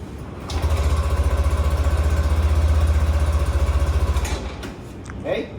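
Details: Yamaha motorcycle after Y-ECVT disassembly, reassembly and primary sheave position initialization: engine catches quickly, settles into an even idle pulse near four beats a second, then shuts off; healthy start and idle.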